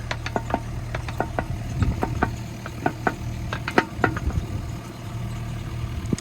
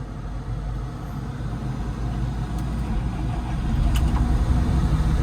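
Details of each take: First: Machine idling low and steady while the attachment on a hitch whose pins fit loosely (owner thinks the hitch isn't for this machine) is rocked; irregular sharp clunks from excessive play — worn pins and bushings. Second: Tractor diesel start after battery isolator check: catches effortlessly and settles into an even, low rumble firming up as it warms, no stumble or misfire; healthy.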